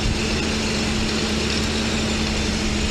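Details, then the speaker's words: Mercedes V12 running with its on-vehicle throttle bodies disconnected and not controlling air into the intake manifold, with no ASR light: steady raised idle with an even hum that never settles; high idle from unmetered intake air. "well of course idle is high because they're not controlling air intake to the intake manifold because my throttle bodies that are on the vehicle obviously are disconnected"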